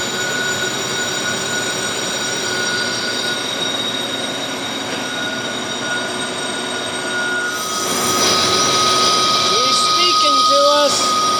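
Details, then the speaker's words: Lathe boring a pitted track adjuster cylinder, thin wall, 10.5 inches of boring bar overhang, 50 thou per side: steady ringing near 1.3 kHz with thin whistles above. Chatter (tool singing), finish not yet harmed. "Taking 50 thousandths on a side here, and you can hear the bell is ringing, but I don't think it started deteriorating the finish yet."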